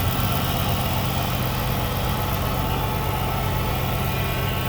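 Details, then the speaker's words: 2006 Chrysler 300 SRT8, 71,000 miles, after intake manifold gasket replacement for a vacuum leak: steady, even low rumble, no misses, ticks or hiss; smooth healthy idle, previously rough like a Mack truck; power steering pump may need replacing. "Runs so smooth. Wow. Before, it was like a Mack truck. Purring like a putty cat."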